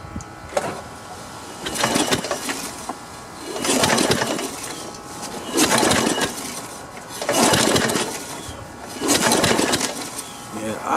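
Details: Snapper SR1230 rear-engine riding mower, barn find being revived: repeated pull-cord yanks about every two seconds while checking for spark, each a short whirring rattle, engine never catches; no-start while cranking.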